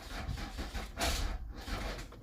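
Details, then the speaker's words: Car that starts then dies: starter churns, engine catches briefly with an uneven surge, then dies and cranks again; it fires but won't keep running. "so the problem is okay the car doesn't start it's starting his diet he started in his diet"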